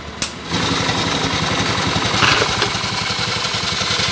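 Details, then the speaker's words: Scooter with CVT cover opened, engine idling: harsh gritty dry scraping over a steady idle, drive belt rubbing against a component in the transmission; fixed by dressing it with coarse wood sandpaper. "Nah itu suaranya pasar sekali ya itu adalah suara panbell"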